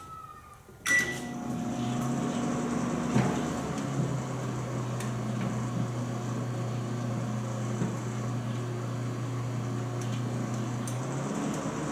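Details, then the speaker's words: GE microwave started after sitting 5 years, 1 minute at power level 3: start clunk, steady low hum, then deeper magnetron buzz drops out near the end; normal magnetron cycling at low power. "So there it goes off again, which it'll be for a couple minutes, or seconds."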